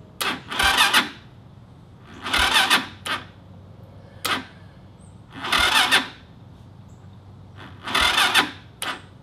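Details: Stick-shift go-kart with a 200cc Lifan engine, battery cleaned and on the charger, old carb refitted, spark confirmed: four short bursts of steady cranking, never catches; still no start after two months of trouble.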